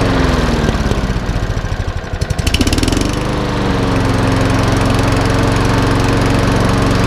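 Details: Einhell mower after fuel system cleaning, pull-started outside: rough start, then an even, steady single-cylinder drone with no misses or surging; running cleanly.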